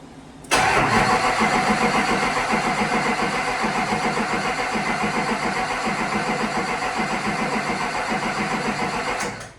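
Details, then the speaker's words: 2003 Chevy Duramax with a built LB7 (100% over injectors, 14mm CP3, BD lift pump, SDP 75mm turbo): the starter churns steadily at three or four beats a second for nine seconds without firing while fuel leaks. A fuel bleed or air issue is suspected, not confirmed. "How can we turn it over but not fire? I guess we can bump it."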